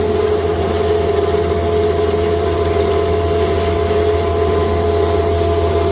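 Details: Cattle-feed grinder with rotor, first time grinding hay fed slowly through the hay slide into a bag: steady, even roar and constant hum with no knocks, rubs or speed dips. Normal operation.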